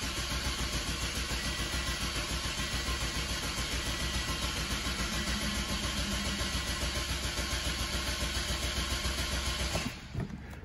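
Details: 2006 Toyota Corolla 1.8, just over 200,000 miles, misfire codes P0301–P0304, cranked with injectors unplugged for a relative compression test: even steady cranking about 3.5 pulses a second; compression equal across cylinders.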